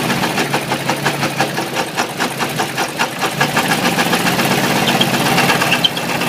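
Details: Ford 351W V8 with a spun rod bearing, abused until it dies: sharp metallic knocks about two per second hammering through the idle; coolant spraying and burning on top; rod knock.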